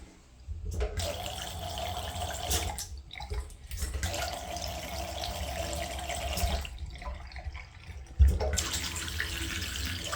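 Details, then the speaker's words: Leaking tap blamed for house vibration, retested after smoothing the valve seat: steady rush of water, shut off twice briefly, with no hammering or buzz. "We're going to give it a quick test to make sure it's not dripping anymore, and then we can test for the vibrations again."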